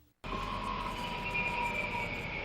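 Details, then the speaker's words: Toyota Prius 2010–2015 hybrid decelerating: smooth steady high whine with fainter higher tone from engine compartment; normal sound of motor doing regenerative braking. "This is the sound of the motor powering the regenerative brake."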